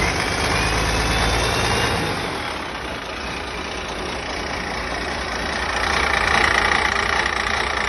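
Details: Rebuilt diesel engine restarted a second time to check starting, with a leaking injector pipe: even steady idle clatter with consistent rhythm, no knocks or bangs; engine running healthy.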